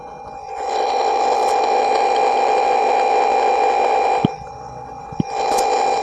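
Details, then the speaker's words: Loud, steady high whine over hum from the speaker, cutting in and out, from a Bluetooth MP3 module powered off the amplifier's main PSU (7812 regulator, 2 W resistor) instead of a separate transformer; power supply whine and hum. "ini ada suara nging keras sekali teman-teman ngingnya itu berisik sekali"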